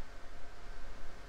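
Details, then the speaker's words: Early-2000s eMachines desktop on first boot after a refresh: constant loud airy rush with no change in pitch, the CPU fan running at full speed and not quieting down. "I'm not even going to be able to hear it spin up over that CPU fan"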